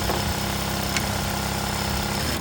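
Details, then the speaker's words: BAOYU GT-991 buttonhole sewing machine with motor-driven knife, direct-drive motor, max 4000 rpm: steady even whirr through the stroke with no loud knock as the knife drops; normal quiet knife cut. "นี้สับสับแล้วนะครับไม่มีเสียงเลยเพราตัวเมันจะทำงานด้วยมอเตอร์"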